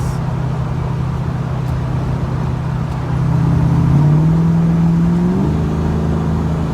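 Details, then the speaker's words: 1994 Ford Mustang GT Convertible automatic, after pan drop and filter, gasket and fluid change that cured bad shuddering: accelerating hard at a corner, engine note climbs and shifts cleanly with no flare or shudder. Smooth shifting. "I'll nail it a little bit here when we get to the corner, and you'll be able to see that, and here, probably hear it better, that there's no issue with the transmission at this point. Felt a shudder, not even once."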